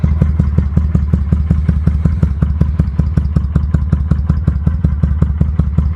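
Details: 2005 Kawasaki Vulcan 800 quick startup before sale: steady, even loping thump at idle, about three beats a second, no ticks or clatter; normal idle.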